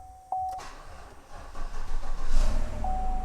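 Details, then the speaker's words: 2016 Chevrolet Silverado 1500 5.3 V8, 63,000 miles, after fixing no-crank no-dash-lights fault at the fuse block (possibly caused by a shorted battery), on a weak jumper box: chime, starter turns, V8 catches into deep steady rumble; starts and runs. "so everything is seems okay at the moment so there still might be another issue but right now the truck starts and runs"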